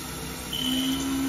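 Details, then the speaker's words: Older Haas VF-0E mill, 20 hp vector drive, after the blown vector drive was repaired: the spindle ramps from 1000 to 2000 rpm with a smooth, even whir, only one rpm fluctuation and low spindle load, where it previously ran rough. Normal spindle running. "better only one rpm fluctuation and the spindle load is nice and low it should be"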